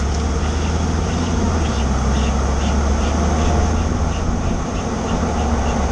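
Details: 2013 Ford F150 XLT EcoBoost, recorded from rear under truck: faint light clicking about twice a second over steady engine hum; source unknown, owner trying to locate before going to a shop.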